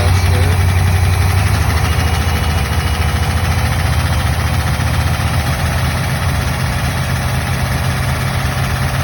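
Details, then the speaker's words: Buick Nailhead V8 after replacing rocker shaft assembly, lifter preload 0.040, 45 psi oil pressure, revved: low smooth even note, no top-end ticking or clatter; valvetrain noise fixed. "Wow, that sounds awesome compared to what it was. It must have been. It must have been a rocker shaft."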